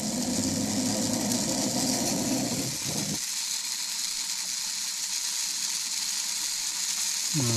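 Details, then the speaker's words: Proto 2000 model locomotive after repair, tested off the track drawing about 1/4 amp; a thin, high-pitched motor whir with a rough, uneven gear rasp; the drive is noisy but turns freely with nothing bound. "Let's see if it still sounds like a power torque. It's an ugly sound, but it's working."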